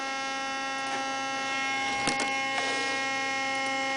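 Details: Dell laptop CD drive makes a steady, buzzy fixed-pitch electrical hum after being manually ejected with a pin, light dim; drive later worked fine after shutdown and restart.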